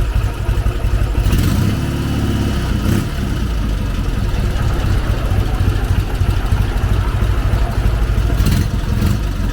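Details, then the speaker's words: K-750 motorcycle after mufflers removed, welded and spray-painted to make it quieter; deep low exhaust drone with a couple of throttle blips, steady beat, still on the loud side but nothing faulty; owner judges it acceptable. "Так, в принципі, глушителі зняв, кое-як з балончика покрасив, поварив, в принципі, стало тихіше. Але все одно мені щось воно громковато наче. Ось такий звук."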